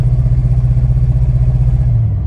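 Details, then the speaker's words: 2001 Toyota Sequoia, about 250,000 miles, at idle and half throttle: low uneven chugging with a stumble every few beats; cylinder one misfire from a failed coil pack, code P0300. "watch when i go like half throttle the check engine light will probably come on that's definitely a misfire here it's chugging along it's cylinder number one is not working"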